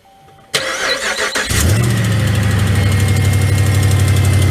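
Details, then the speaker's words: 180,000-mile pickup, which the owner calls a Hemi, cranks and idles with a quick steady puffing tick over the rumble, about four per second; exhaust leak, owner suspects broken exhaust manifold bolts. "as y'all can hear it's got a bit of exhaust leak but it drives good shifts good the steering's good and tight"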